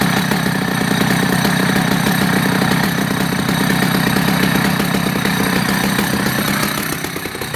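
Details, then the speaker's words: Vintage Husqvarna B65 two-stroke chainsaw started after three weeks unused: once warming, it holds a crisp, even, steady idle with no misses or rattles; normal idle. "so that's generally how she started after three weeks done nothing else to her runs impeccably after she starts to warm goes to a lovely steady idol"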